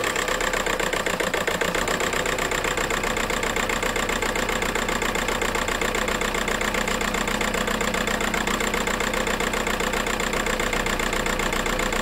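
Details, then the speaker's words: VW Golf 4 TDI pump-injector diesel shaking at idle: lumpy, uneven idle with a regular stumble from one dead cylinder; owner suspects the injector harness or an injector. "bon les amis il y a un problème d'injection donc soit le faisceau d'injecteur qui est connu sur les injecteurs pompes comme vous le savez tous soyez un injecteur qui déconne"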